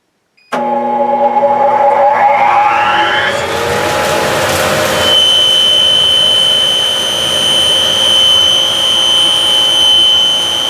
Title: JCDC-2 Squealing Noise